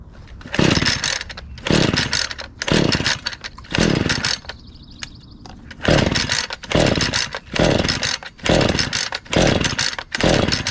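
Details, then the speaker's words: Husqvarna 435 X-Torq chainsaw with fresh fuel poured in, fired right up: crisp two-stroke bursts to high revs about once a second, dropping cleanly to idle between blips, though it died when throttle was released. "well it's a good start okay well that's pretty cool we got lucky just needed some fresh fuel and it fired right up"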